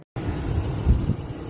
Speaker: There she is. She runs pretty fucking minty. Nice and smooth. Sounds quiet.